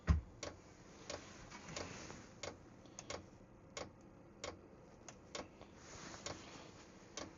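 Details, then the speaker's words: Cheap diesel heater started by remote in the cold: steady sharp fuel pump ticks about one and a half per second over a quiet fan hum, but it never ignites. Owner suspects the battery is too cold. "Now you can hear it kicking on. So that's the fan. Hopefully we can hear it ignite. The battery's too cold."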